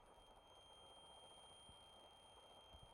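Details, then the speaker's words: LiitoKala Lii-500S battery charger with batteries inserted and its power supply unplugged: thin, steady high-pitched whistle over quiet room noise that continues while batteries stay in, quieter with fewer cells; owner suspects intended behaviour; clunk at end. "Может быть так и должно быть Я вот сейчас вынул блок питания и здесь что-то свистит"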